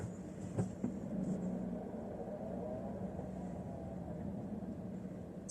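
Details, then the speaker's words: 2017 Fiat Panda Cross 0.9 TwinAir 4x4 after fitting Fiat's rear brake caliper damper modification: low engine rumble while reversing around a corner, with no rear brake squeal at all. "try a sharp turn to the right absolutely silent sharp turn to the left absolutely completely silent now the one thing it used to do was when you were going in Reverse in particular reversing ran a corner"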